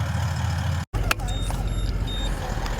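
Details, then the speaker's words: Short high-pitched beeps in quick bursts over engine rumble while driving: charger alarm showing charge over-voltage, which stops when the roof solar panel is unplugged; cause unconfirmed. "don't know if you can hear that beeping but it's bloody [Music] frustrating"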